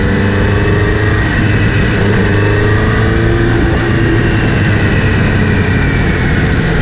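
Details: Kawasaki Z900RS: after cleaning and relubing the chain, a steady whir rising with speed over the engine when accelerating or in gear, seemingly from the front sprocket area; chain clean, tension OK, source not pinned down.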